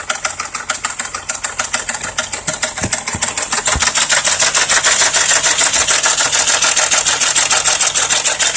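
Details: 2001 VW Jetta VR6 at idle: sharp, steady knock about three per second from inside the engine, not from the shifter rod. A crankshaft sensor fault is reported, and the owner suspects a bent valve or piston damage, not confirmed.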